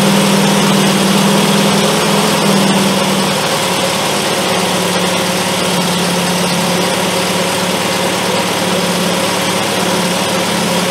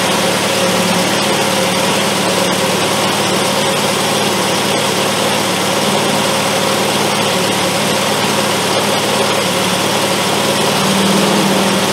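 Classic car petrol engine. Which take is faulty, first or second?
second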